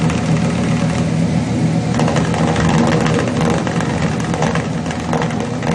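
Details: Chevrolet 350 V8 with long tube headers, failed valley-side intake manifold gasket causing oil consumption and rough idle; deep, lumpy idle with exhaust pulses dropping out on one bank; cylinders 4 and 6 weak on power balance test.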